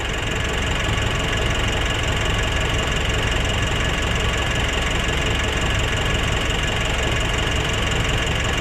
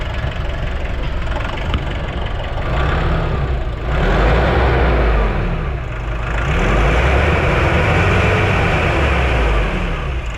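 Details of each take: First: Nissan NV350 diesel idle with even clatter and no hunting, settled and healthy after replacing the suction valve, cleaning the EGR and intake manifold, and turbo position learning; earlier rough idle and low power fixed. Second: Nissan NV350 diesel van, idling: clatter whose speed swells and sags every couple of seconds instead of holding steady, smelly exhaust, no check engine light; owner reports low power and that idle worsens with air conditioning; idle hunting.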